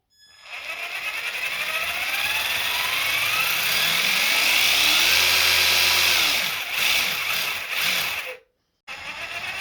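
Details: Traxxas TRX-4 Ford Bronco RC crawler, before maintenance of motor, gears, portal axles and diffs: high electric whine rising and falling with motor speed plus gritty gear rattle; rough noisy drivetrain, cause not confirmed.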